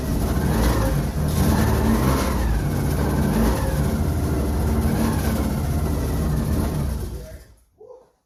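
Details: Subaru SVX after swapping in a different ECU, previously crank-no-start: engine catches and revs up and down smoothly for several seconds, then shuts off cleanly; now runs properly.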